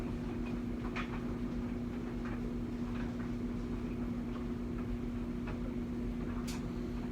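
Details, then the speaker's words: LG dryer after replacing worn front drum roller for loud rumbling: smooth steady motor hum, even drum turn, only light clicks, no rumble or thumping; new rollers fixed the noise. "as you can tell the rollers fix the problem most of the time when you're having a lot of noise in a dryer like that it's because the rollers have gone bad"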